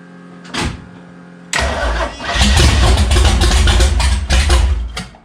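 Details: Pontiac after wiring work, fuel pump on, throttle not yet hooked up: short crank, then the engine catches and runs with a few throttle blips before shutting off; clean, healthy start.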